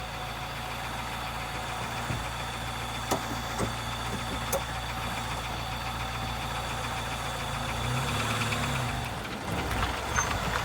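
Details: 2004 Jeep Wrangler 2.4 L four-cylinder petrol engine running steadily with faint, sharp ticks heard as it picks up load under acceleration.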